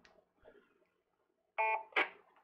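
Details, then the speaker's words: AllStar node on Raspberry Pi with TYT radio on simplex 223.5 into dummy load, during setup: quiet handling noise, then brief clean beep with short blips after transmission ends; courtesy tone working normally. "we still got our courtesy tone"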